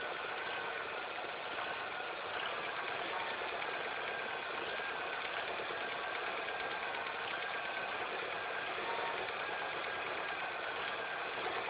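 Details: Engine idling after all belts, the timing belt and the tensioner were replaced: fast, even, unrelenting ticking rattle over a steady idle, an unwanted noise whose source is not pinned down.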